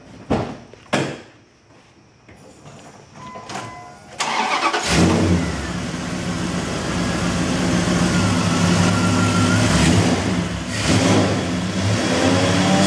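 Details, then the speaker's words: Gasoline 360 V8, rebuilt, under 10,000 miles, with performance options, being removed only because the transmission is blown and a diesel swap is planned; a few clicks, cranks and catches into a strong steady idle with clean throttle blips: normal running. "there's nothing wrong with this engine it has less than 10 000 miles on it it has a lot of performance options to it it runs great"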